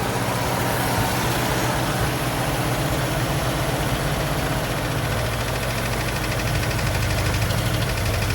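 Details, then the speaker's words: 1950 Pontiac Silver Streak, sat almost 40 years, first start after priming because the accelerator pump isn't working; still needs water. Rough uneven idle with light tapping; cause not identified. "It's tapping a little bit. It's tapping a little bit."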